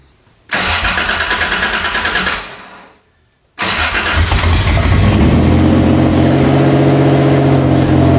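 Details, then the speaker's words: Toyota 3.4L engine swap, first start after reassembly with oil, coolant, bled clutch and evap work done; brief crank, cuts out, then catches and settles to a smooth even idle, no leaks; normal start and idle. "i actually fired right up running pretty smooth no leaks"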